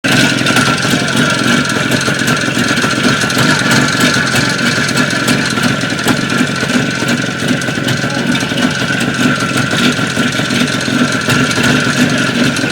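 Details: Jupiter-5 engine: busy, rattly two-stroke running with an irregular knocking tap about three times per second; a knock somewhere in the engine.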